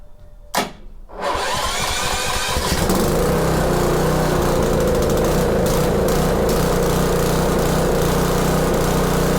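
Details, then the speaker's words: Subaru EA190V small engine, started cold: quick crank, then it catches and runs steadily for a couple of seconds with no pops or misfires; normal start. "No pop. And it only ran for a couple seconds. So, looks like we're good to go on that."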